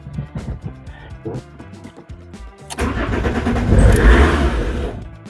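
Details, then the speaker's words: Fiat Marea 130HLX, long unused, rusty, the only one known still complete: the starter cranks briefly, the engine catches with a rough surge of revs, then cuts out within seconds and won't keep running. "But then it cuts out immediately."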